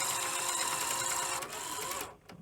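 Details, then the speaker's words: Sony Betamax SL-F25UB at power-on: busy whirring grind and rattly ratcheting as lacing motor runs, then cuts out; lacing mechanism floating on its gear, gear part missing, possibly self-inflicted. "this part the lacing mechanism it's just floating about I say floating about it's it's on the gear but if I um Power It Off and power it back on this is totally missing the um"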